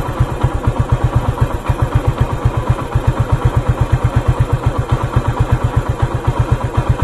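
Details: Motorcycle with a very loose timing chain, heard while the timing chain tensioner is being adjusted: steady thumping idle with a loose metallic clatter over it. Timing chain rattle.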